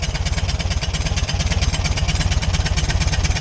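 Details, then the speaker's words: VW Beetle (Fusca) air-cooled engine idling, not revved and with a cover removed, with a rhythmic metallic scrape. The crankshaft pulley is rubbing the sheet-metal shield tin behind it. Planned fix is loosening two bolts and pushing the tin back. "Aí o barulho persistiu. Falei, Dudu, o barulho tá ali embaixo. Aí ele, pera aí. É a polia, meu povo. Olha lá. É só essa lata aqui atrás."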